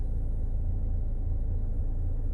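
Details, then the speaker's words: Mazda CX-5 steering that knocked on rough roads, suspected from hardened grease and play in the steering bearing, greasing suggested as the fix. Now only a steady low engine rumble while turning the wheel, no clunks. Normal steering operation. "So wala nang tunog mga katropa, di kagaya nung kanina."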